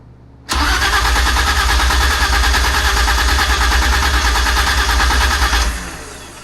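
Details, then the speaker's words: BMW E30 project cranking with spark enabled: about five seconds of steady cranking that never fires. The engine spins freely, but the check finds no fuel delivery. "Alright, go ahead and crank it. Alright, stop. We have no fuel."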